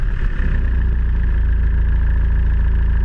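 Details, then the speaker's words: BMW 320d E90 with the M47 diesel, started with only the power steering pump belt fitted. A steady, even idle rumble with no squeal, which shows the squeak comes from the auxiliary serpentine belt drive. "As the engine is having two belts, one for the steering pump and one for all the other auxiliaries, I will start the engine with only the steering pump belt on. Then we can exclude that the noise is coming from that part and we can focus more on this area."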